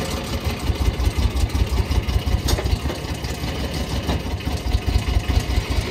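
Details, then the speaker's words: Low, uneven chugging idle at two or three pulses a second from a pickup truck that quit on the road home; owner believes the motor is blown, unconfirmed. "Look at the truck. Doesn't sound good. Definitely blown, eh?"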